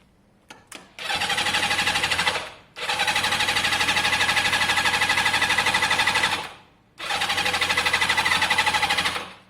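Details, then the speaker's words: Yamaha XJ550 motorcycle after carburetor cleaning and refit: three bursts of even starter cranking, about three compressions a second, not catching while fuel is drawn through; normal cranking, not yet firing. "Be nice if it started. We're just getting the fuel through."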